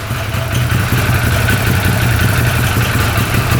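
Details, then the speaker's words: 2013 Arctic Cat Wildcat 1000cc twin UTV after an intake air leak (missing O-ring) was found: idle is much lower, a steady, even low thump on both cylinders with no hunting; healthy idle. "well that's idling a lot lower I think we found our problem that sounds a little better"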